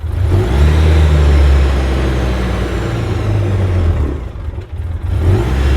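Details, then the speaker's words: 2006 Polaris Ranger after a rebuild: the engine roars and hangs at high revs instead of returning to idle; the throttle cable may have been caught when the seat went back on, injectors also suspected, and the throttle body later looked fine. "yeah it would appear that I caught the cable what the hell [Music] we may need to do something with them [Music] injectors seem like the throttle's hanging"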